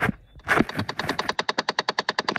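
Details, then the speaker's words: 2005–2013 Chevy Impala HVAC blend door actuator heard behind the dash with the panel off: fast even ticking about eight times a second, felt by finger, also continuing with keys out and able to drain the battery; faulty actuator, fix is replacement. "so with this panel off I can actually hear it right here and when I put my finger on it I can feel it so I know it's bad I know it's not doing what it's supposed to do"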